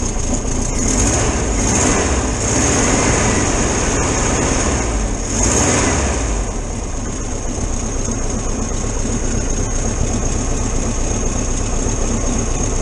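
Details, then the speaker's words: 1973 VW T2 camper warming up on choke after carburettor jets were unblocked and adjusted: steady, even low-speed idle with no misses or knocks. Normal warm-up idle; owner suspects a small exhaust leak. "i'll let it warm up a bit and then we'll see how we go on"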